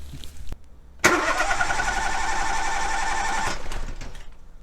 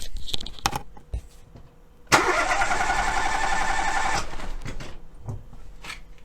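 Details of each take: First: Cranking with an oscilloscope on the battery for a relative compression voltage check, all spark plugs fitted: steady, even cranking about four beats a second with no uneven or missing strokes; compression sounds balanced across cylinders. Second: Starter cranks steadily for about two seconds with a slightly uneven beat, with a spark plug deliberately backed off two turns to create a compression leak in one cylinder for a battery-voltage relative compression test.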